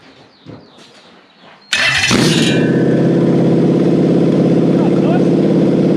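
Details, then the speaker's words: Toyota 1UZ-FE V8 on a test engine, with a Link Monsoon ECU and coil-on-plug loom for a Lamborghini kit car: catches after a brief crank and settles into a steady, even burble; lovely start, idle needs a little more work. "oh so that was lovely a little bit more work in the idle but beauty"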